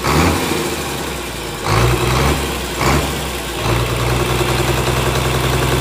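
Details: Komatsu S6D125 six-cylinder diesel test-run after general overhaul for noise, broken piston 5, spun conrod 4 bearing and scored crankshaft: steady, even low rumble with a couple of brief load swells, no knocks or misses; normal running.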